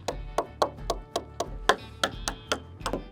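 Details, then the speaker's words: Cirrus SR22 with about 500 hours, abandoned 11 years outdoors, coin tap test down the wing spars; crisp bright taps ringing the same with no dull thud; composite sounds undamaged, further inspection still needed. "it sounds good I'm not hearing a thing so everything sounds good on the wings again there's other tests that have to be done"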